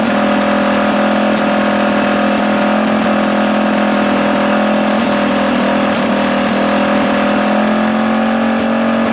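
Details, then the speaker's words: Rebuilt Tillotson 212cc Mega Moto engine, running with the air filter removed: steady, slightly uneven idle with a fluttering, rich note; the owner believes the PZ22 carb is too small and this is the best tune possible. "all right I think with this pz22 it's too small of a carb for what we have going on here I think that's the best tune you're going to get for that currently"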